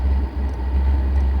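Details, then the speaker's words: H-Calory Toolbox 2S diesel heater started from cold through the Bluetooth phone app, running its quick start cycle. Deep, uneven buffeting in the combustion chamber during startup smooths out as the burn heats up, which is normal. "Again, we're firing up from a cold start here, and it goes through its quick start cycle. The buffeting in the combustion chamber clearly audible during startup and then smoothing out shortly after as the burn heats up."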